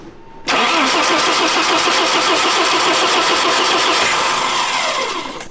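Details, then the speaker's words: 1988 BMW M3 E30, non-running for nearly a decade: steady rhythmic cranking for about five seconds that never catches. The fuel pressure gauge read zero, then a fuel line burst; crank-no-start from no fuel pressure. "Yeah, we just busted a line. And before it busted, it was at zero. The the gauge did not move."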